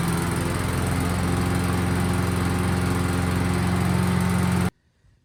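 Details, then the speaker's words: Cub Cadet CS 2210 chipper shredder small engine after water flushed from fuel system, carburetor cleaned and fresh gas added: smooth, steady single-cylinder drone at constant speed, even firing, no misses or knocks until shut off; normal running. "right well that was a fun little project i started upgrade as soon as the carburetor was cleaned and all the water was out of the system"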